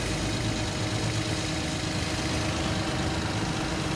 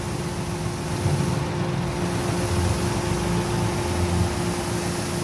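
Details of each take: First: Toyota Wigo with stalling, unstable idle and P160 history code, after injector cleaning: smooth, even idle with steady low hum, no stumbles; no longer misfiring. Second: Toyota Wigo idling around 900 rpm with air conditioning on, no check engine light, history code P160 cleared but shaking persists; idle wavers and stumbles under compressor hum, misfire from dirty fuel injectors.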